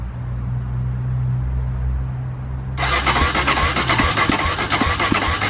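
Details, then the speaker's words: Polaris Predator 500 ATV, first start after DIY carburetor clean, fresh fuel in tank, no leaks: low hum, then the single catches near three seconds and thumps unevenly, not yet idling smoothly; hard starting. "took a little minute for me to crank up"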